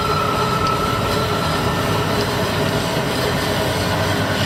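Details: 1972 Grob 4V-24 24" vertical bandsaw, 3 HP, variable blade speed 40–5000 FPM: steady, even whir with a faint high whine and no rattle or knocking as the drive runs on its slowest setting, then speeds up very quietly. Normal variable-speed drive operation.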